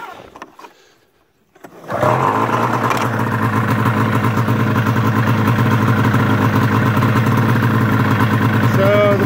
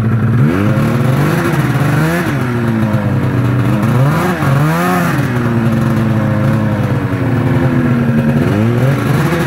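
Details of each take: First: 1999 Arctic Cat ZR 600 EFI snowmobile with its 3-wire throttle safety switch disconnected as a workaround: it fires after a quiet pause and settles into a steady, even two-stroke idle with no misses; runs fine, though the kill switch no longer works. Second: 1999 Arctic Cat ZR 600 EFI with an old, loose 3-wire throttle safety switch: two-stroke revs rise and sag unevenly, the note dropping away as the throttle opens, until the engine dies; faulty switch is cutting it out.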